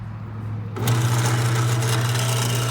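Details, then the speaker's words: Pitco fryer filter pump, motor reconditioned and remounted on its base plate: spins up within a second to a steady, smooth low hum; sound changes when the intake is blocked by a finger, showing suction, so the pump works properly. "now we know that uh the pump is [Music] working as you can see when I put my finger in here you can see the pressure on the on the M on the pump you can you can you can hear the noise you can hear the noise is changing that means there's a suction of air"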